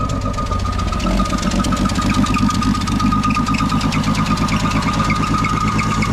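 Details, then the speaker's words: Old carbureted Ford six-cylinder that sat for months, described as smoking and leaking. Rough idle with a fast, uneven ticking puff over the low rumble. An exhaust leak, heard as ticking at the manifold. "this is a six cylinder old ford motor not a whole lot of power there um you know just old technology smoke some leaks and everything"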